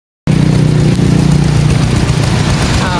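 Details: Bajaj CT125 motorcycle, brought in for loud clattering noise, idling after repair with magneto gasket refitted: steady, low, even beat with no rattle, now normal.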